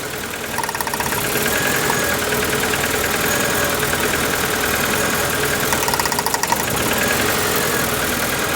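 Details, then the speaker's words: Warm Proton Wira idling rough and lumpy with an uneven stumble, still missing after draining old fuel and swapping plug leads; cylinders 1 and 4 suspected, possibly a bad plug lead or injector; engine misfire at idle. "Still running like a bag of nails, isn't it?"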